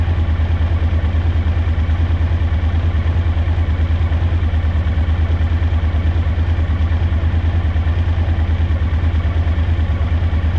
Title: DL1000 rear cylinder misfire a